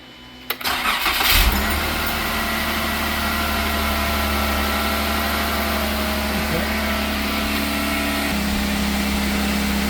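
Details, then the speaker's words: Jeep 3.6 V6 on first crank after all 12 driver-side rocker arms were replaced to cure ticking: catches after a brief crank into a smooth, steady idle with no ticking, knocking or rattling; normal idle. "Now everybody's happy, there's no ticking, there's no knocking, there's no rattling."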